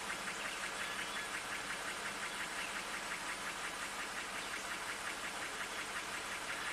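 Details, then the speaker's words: 2019 Jeep Wrangler Rubicon, Pentastar V6, about 72,000 miles, P0300: idle turns shaky and uneven once put in gear, faint regular tick near three per second over hiss; misfire suspected on bank two, cylinder unconfirmed. "If we put in gear. Oh, yep. There he goes. Running a little rough."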